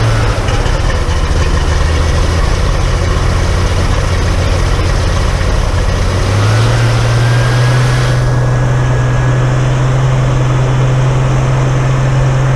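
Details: Dennis Dart SLF bus Project 114 diesel, first start after removing part of the fuel system, no leaks: steady, even low idle rising to faster smooth beat, no stumbling or hunting; fuel delivery healthy.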